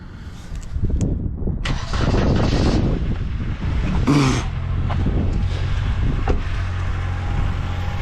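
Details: Car with a 2.4 engine and gas fuel system, weak battery, started after a system override: a brief crank, a clean catch, then a steady even idle with no misses or knocks; everything works.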